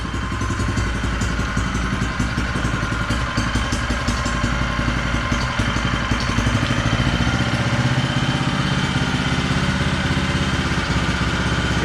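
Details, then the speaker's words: An identical healthy Honda GX160 engine at raised rpm: a steady, even single-cylinder drone with no knock or clatter, far quieter than the knocking engine. "Для прикладу я продемонструю, як працює такий самий двигун. Так. Як бачите, різниця колосальна."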